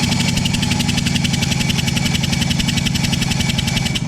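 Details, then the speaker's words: 1989 Johnson 35 hp outboard, sat about 15 years, compression test while cranking: even, strong puffs with no skipping; top cylinder about 80 psi with gauge leaking; normal cranking compression. "okay we got about 80 psi of compression on that top cylinder"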